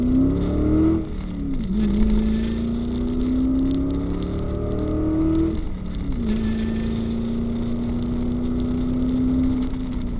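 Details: 1998 Ford Mustang GT V8 after a PI head swap with ported and polished heads: revs up cleanly twice and settles back to a smooth, even idle with no misses, knocks or ticks; healthy.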